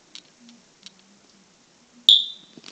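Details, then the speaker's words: A small combination smoke and carbon monoxide detector gives one sharp, high chirp that fades quickly in a quiet room. This is its normal final sound as its test ends. "and this can make one more weird sound before it stops"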